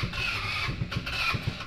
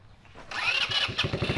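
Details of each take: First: 150cc full-suspension go-kart engine revived with new fuel tank and battery; catches after cranking, then runs in uneven bursts as the throttle is worked, picking up cleanly each time; normal starting and running. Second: 150cc full-suspension two-seat go-kart, sat over 5 years, being revived: the small single runs with a ragged, stumbling pop that never settles; sounds sickly and poorly fuelled.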